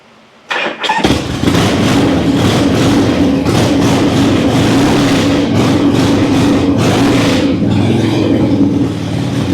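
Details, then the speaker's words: Harley-Davidson Ironhead V-twin: catches quickly and settles into a strong, even, lumpy beat with no knocks or ticks; runs well and leaks nothing; normal running. "Oh yes, sounds good, rides good, runs good. What more can you ask for out of an Ironhead?"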